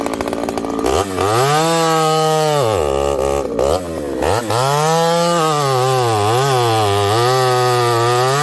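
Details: Ported Homelite 922 chainsaw after clutch and fuel line repair and cooler heat-range plug, cutting very hard wood: loud, clean high-revving two-stroke scream dipping as it bites and pulling straight back up; normal, healthy cutting under load.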